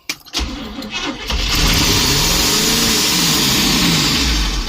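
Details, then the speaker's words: 1972 Barth motorhome started after 15 years sitting, with a replacement cap and coil and gas poured in: engine fires then flares to a hard sustained roar, never dropping to idle; throttle stuck wide open. "It looks like the throttle was just maxed out."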